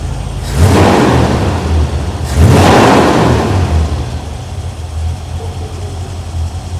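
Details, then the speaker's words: 1981 Corvette V8 after adjusting the valves a second time and refilling antifreeze, after water pump work: two quick throttle blips settle back to an even, steady idle with no ticking or knocking; sounds healthy. "It sounds good right now."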